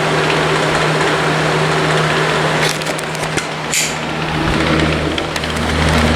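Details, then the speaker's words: Comfort Zone box fan after a year and a half of use, on high speed: steady low motor hum with rough scratchy crackle; crackle comes from the motor even with the blade off, owner suspects worn-out bearings. "comes from within the motor because even without the blade on it makes that sound I think the bearings are just rooted"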